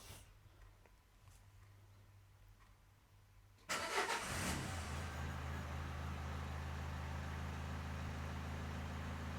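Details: 2013 Nissan NV200 1.5 dCi diesel van, restart after the fix (extended-crank complaint, codes P0190/P0087): catches almost instantly and settles into a smooth, steady idle.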